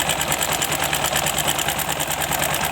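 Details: Bajaj Discover 150 motorcycle with engine work from another shop: fast, light sewing-machine-like ticking over a steady idle.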